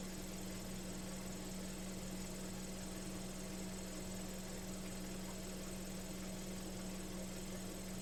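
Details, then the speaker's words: Ford Falcon carburettor idling steadily fast with a constant hum that never settles; the curb idle adjustment screw isn't touching its stop, so it stays high. The owner may refit the old carburettor. "The idle adjustment screw is not even working for it. The curb idle adjustment. Yeah, it's not even It's not working for it at all."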